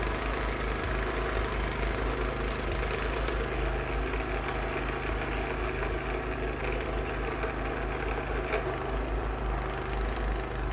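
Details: Cub Cadet 524 snowblower after repair for rough running, throwing snow in freezing weather. The small engine holds a smooth, constant drone under load with no surging, popping or stumbling; it runs properly.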